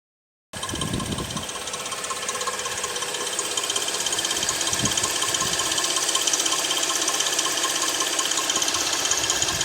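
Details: 2006 Suzuki 2.7 V6 petrol engine running: fast, fairly even light ticking or tapping over the engine note; cause unknown to the owner.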